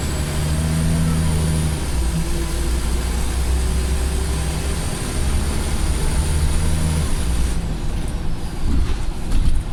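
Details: Former Go Ahead North East Scania bus: a very high thin whistle over the deep diesel drone with engine ticking, fading as the bus slows; an unusually loud turbo whistle.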